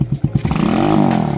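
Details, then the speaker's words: Grom clone single-cylinder minibike warming up after a cold start with a new CDI and ignition coil: blips settle into an even rapid putter, no misses, without the ignition coil fault the owner suspected. "It it's not. But I try not to rev it for like the first couple minutes. Let the oil circulate, and I call it a day."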